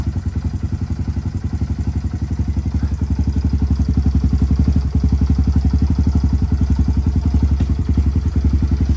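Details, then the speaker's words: Kawasaki KLX110L with TB cam, just after valve adjustment and cam timing, first fire-up and running rich: steady single-cylinder thump about 220 a minute with light cam tick, normal for TB cams; even idle. "And these TB cams are still notorious for having a little noise to them. So that is normal. But other than that, she sounds like she's running pretty good."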